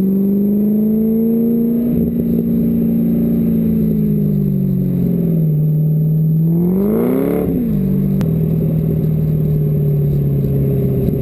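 Engine idles then blips up and back down with an uneven, stumbling note that never smooths out; sounds like a misfire, cause unknown.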